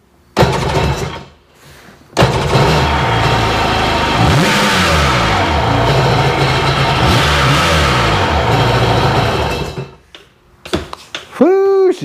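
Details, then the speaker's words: 2002 Sea-Doo GTX DI after diagnosis that found a faulty PTO throttle position sensor and suspected water damage. With codes cleared, the engine fires, settles and revs cleanly up and down with crisp response, running normally. "all the codes are gone and she's running and i can see why the other guy was frustrated"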